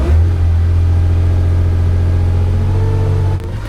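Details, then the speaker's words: Porsche 911 2.8 RSR build on a Link ECU, throttle sync check after about 15 minutes running up to 50 degrees, mic right over the exhaust: loud, steady drone at a held fast idle around two thousand; balanced, but one bank was lagging slightly. "i managed to get them all pretty well balanced this bank was actually lagging slightly from this bank"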